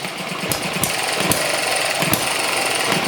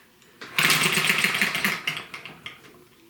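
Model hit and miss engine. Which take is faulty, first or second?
second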